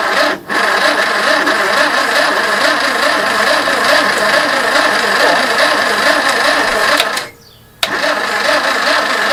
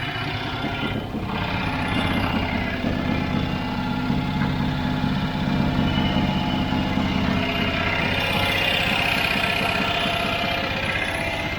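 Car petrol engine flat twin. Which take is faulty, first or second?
first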